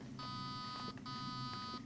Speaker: So what you do is you wait for the number that you want, and then you pull the trigger. So I've just set that to the 4 out of 6 for pre-cocking, I believe.